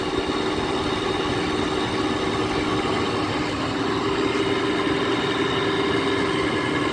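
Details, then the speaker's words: 2009 GE 10,000 BTU air conditioner made by Samsung, first start in a year: steady loud hum with a rough, gravelly whirr throughout, despite WD-40 sprayed in; worn bearings in the stiff Broad Ocean fan motor. "sounds like one of those 90s uh comfort touch sharp air conditioners the samsung fan motors that always like to do this"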